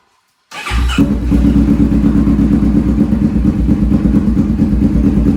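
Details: 2015-2020 Kawasaki Vulcan 650S twin, started right after an oil change: catches at once and settles into a steady, even idle with no knocks or ticks; normal start and idle.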